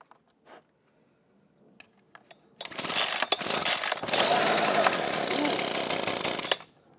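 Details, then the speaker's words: Husqvarna 125B two-stroke leaf blower after replacing the ignition coil (verified no spark): with lines purged, full choke and blower tube off, it catches after a few pulls and holds a steady buzzing run. The new coil fixed the no-start. "nice I think that was our issue"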